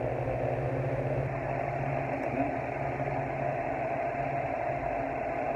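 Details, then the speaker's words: Arno pedestal fan on low speed after a capacitor change: steady hum with a rough whirring buzz; suspected worn or failing front bushing, or forward-and-back shaft end play. "isso parece ser bucha dianteira né que tá ou já está ruim ou está ficando ruim"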